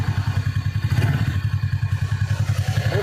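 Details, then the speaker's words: TVS Ntorq BS6 scooter at about 9,900 km, after the repair: even low putter at idle with no tapping or clatter, quiet like a new bike. "मैंने का sound सुना और अभी का sound सुनि किना मतलब अभी इंजन शांत हो चुका है ऐसा न्यू बाइक जैसा साउंड"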